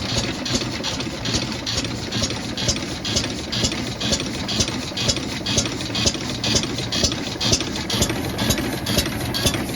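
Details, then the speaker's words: Newly bought classic Rambler car, long off the road, idling: slow steady beat with light valve chatter on top; sounds healthy at idle. "persuing sounds pretty healthy"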